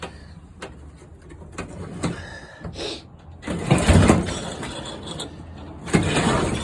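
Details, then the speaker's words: Motor-assist tandem trike moped, cold start with the choke on and the clutch released so the friction belt is loose: rough pull-start bursts turn the engine over but it never fires. Owner thinks it may need priming. Cranking no-start, fuel starvation. "No sputzing yet. No sputs yet. I might have to wet its whistle."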